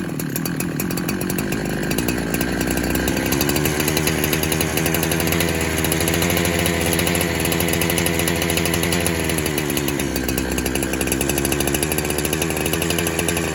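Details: 372 clone chainsaw that kept leaning out after fuel was added, warming after a cold start: it holds a high, steady scream with a slight hunt in pitch.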